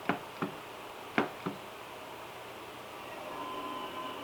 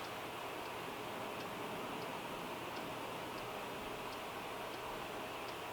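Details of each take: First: Sony PS2 SCPH-50001 on reboot with a Final Fantasy IX disc that previously wouldn't play: a few irregular clunks as the disc spins up and the laser seeks, then a faint steady whir. The drive keeps spinning without reading and ends in a disk read error. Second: Sony PS2 SCPH-50001 after repair, disc loaded: steady soft whir with faint light ticks about every half second as the disc spins and reads; drive runs normally.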